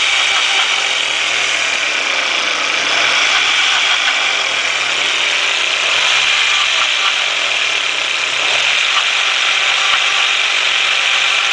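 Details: 1.8T engine idling: a dry, uneven metallic rattle over a hissy top end; the source is not identified.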